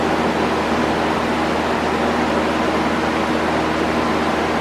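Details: One-year-old window A/C unit, fired back up after its condenser coil was cleaned from the inside: steady even whoosh of air from the fan with a low constant hum, no rattles or scraping; runs smoothly.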